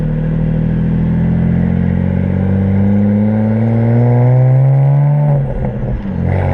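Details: BMW 335i turbo petrol under wide-open throttle through the gears: pulls hard, then stumbles with rough misfire pops and backfire near the top of the run; fixed by replacing ignition coils and spark plugs.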